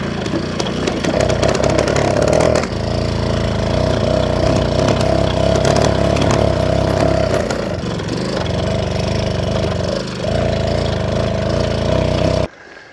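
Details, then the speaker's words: Old pedal moped two-stroke revived after sitting in garage, fuel pump primed: fires and buzzes unevenly about twelve seconds, sags twice, then dies; sounds fuel-starved, owner pumps more fuel. "Sounds like it's not getting enough fuel, so I'll just try and pump some more."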